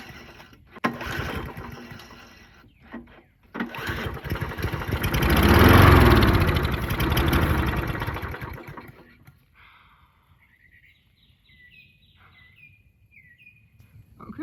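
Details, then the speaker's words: Old Murray push mower found abandoned and full of water: pulls over, catches and runs a few seconds with an even, steady beat and no tick or knock before dying away; engine sounds good. "so that's a great sign that this thing runs and it sounds like it doesn't have any ticking knocking anything like that so it could be a good engine"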